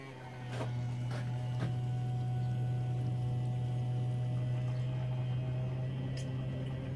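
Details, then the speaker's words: 1994 Range Rover with starting issues, where the fuel line was slow to build pressure: a steady electric pump hum with irregular gurgles and splashes, the pump struggling and sucking air. Owner suspects the pump is bad. "hear that pump struggling the pot sucking air I'd say it's [ __ ] I'd say that that its food bar right"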